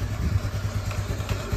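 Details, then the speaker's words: Yamaha Nouvo scooter bored up to 148cc, with a part changed to size 20. It now starts faster and idles with a soft, even, low thump, with no knocks or rattles. Before, it died as soon as it was throttled; now it runs normally. "Oke guys, barusan udah dicoba dan alhamdulillah lebih cepat nyalanya, dan sekarang udah normal. Tadi digas langsung semuanya mati aja. Suaranya adem guys."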